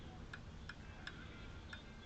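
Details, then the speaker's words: 1959 Ford Thunderbird flasher relay bench-tested with ground on X and power on L: crisp, evenly spaced clicks about every third of a second over a faint hum; the relay is cycling normally. "Clicky, clicky. That's cool. So that works."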